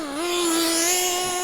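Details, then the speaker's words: Mugen MBX6T nitro truggy on 20% nitro fuel, warming up: high buzzing scream holding one pitch, never clearing or breaking up when revved; engine running far too rich. "Oh yeah, you can hear it. Too rich, far too rich."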